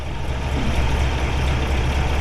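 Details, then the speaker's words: 1950 Oldsmobile Rocket 88 V8, 135 hp rated, Fenton headers and dual exhaust, 12-volt conversion with GM alternator, 6,619 on odometer; deep, even idle burble with steady low rumble, purrs like a kitten, no misses. "Just purrs like a kitten."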